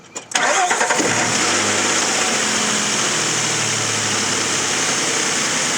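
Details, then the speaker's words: Nissan Xterra, nearly six years after a repair job done in August 2016: quick crank that catches right away and settles into a smooth, even idle with no knocks or ticks; engine healthy, normal start and idle. "So it's nearly been 6 years since I've done that job, and it still runs great."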